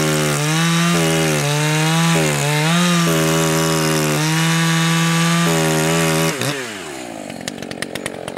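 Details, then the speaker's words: Echo CS 590 chainsaw cutting wood at high revs: wavering, burbling four-stroking note that clears and rises once leaned on; high-speed mixture set richer than wanted even for break-in, next step is turning high-speed screw in about 1/8 turn. "Actually, it's running a little more rich than even I would want for break-in. You could hear the difference quite obviously. As soon as I leaned on it, you could hear it clear up."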